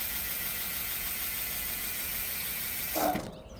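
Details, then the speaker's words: CYC X1 Pro Gen 3 e-bike motor with X12 controller, error code 30H with buzzing at power-up, factory twist throttle, bike lifted, street mode: steady high electric whir ~3 s, short clunk, motor pauses then restarts; no pause in race mode; cause unconfirmed. "Okay, so now I'm on the street mode, so you're gonna see the motor is gonna pause."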